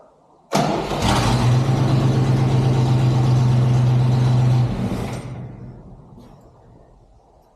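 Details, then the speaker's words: 1963 Chevrolet C20 with a 1960 Oldsmobile 394 V8, unrun since 1998, started cold: brief crank, then it catches on the first try and settles into a steady low hum before easing off; normal start. "let me tell you you don't always get that lucky I'm surprised first crank it fired up woo that is exciting"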